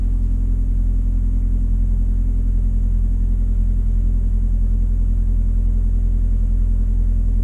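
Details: On a Suzuki SX4, after ignition coil replacement to fix choppy running and a misfire code, test drive: a low, steady hum with even rhythm and no skips or shudders; runs smoothly, though a pending code later remains.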